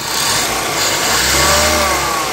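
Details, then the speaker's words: Hyundai Avega, engine bay at the pulley, AC on with compressor clutch engaged, light throttle; coarse rough growl rising with revs, gone with AC off; noisy AC compressor. "itu lihat teman-teman jadi suaranya kasar ya Nah jadi gitu temen-temen mobil ini tuh masalahnya di situ ya setiap kali AC kita on suara kasar akan muncul"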